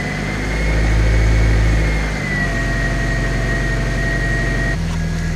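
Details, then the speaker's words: Honda K20-swapped project car, cold start after replacing suspected faulty idle control valve: steady even hum at raised idle from about 1500 rpm with faint whine, easing down; normal cold fast idle. "The idle is slowly coming down now. As you can see. Sounds like the choke's just trying to come off now, so hopefully that'll slowly keep dropping."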